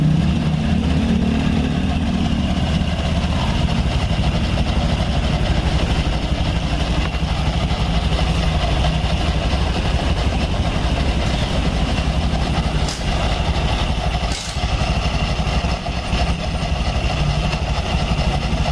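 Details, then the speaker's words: Honda Scoopy scooter with 12-inch rims, after a repair to fix a noisy clunking CVT: smooth, soft, steady idle with no clunking, and idle speed no longer rises and falls as it did before. "dan putaran di bagian Fidel ini tidak naik turun tidak seperti tadi pertama dia naik turun ya [Musik] suaranya lembut"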